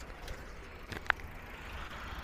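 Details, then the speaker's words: Citroen C4L noise over ridges and when turning about 50–60 degrees while the car drops; a single sharp clunk as the wheel is loaded; cage suspected, knocking on the hub side. "wheat on the hub side and it sounds very obvious. Come and go Cuckle, Cuckle, Cuckle There will be a bang up and down The obvious chuckle"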